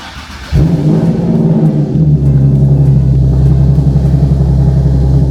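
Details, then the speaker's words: Nissan 370Z with VQ VHR engine and a used swapped-in manual transmission, clutch not yet fully bled: heavy, rough low drone with uneven rumble; owner fears the gearbox will lock up, cause not pinned down. "more oh my gosh do you hear it like how bad it sounds yeah I feel like it's going to lock up"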